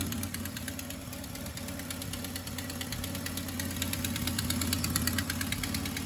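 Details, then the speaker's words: VW Golf MK2 GTI, EV engine with K-Jet injection, running before a rebuild: a fast, fairly even ticking puff over the exhaust note, about three per second, a strange exhaust noise from a burst exhaust. "Bon, éteint. On entend un petit bruit d'échappement bizarre."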